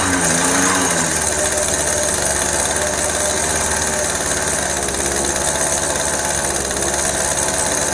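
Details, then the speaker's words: Yamaha F1ZR two-stroke just rebuilt (new conrod, crank bearings, crankcase) with carburetor installed, first run with doubled oil mix: crisp buzz rises on the throttle and holds an even high rasp without stumbling; revs normally. "Halus ya mesinnya. Halus tuh."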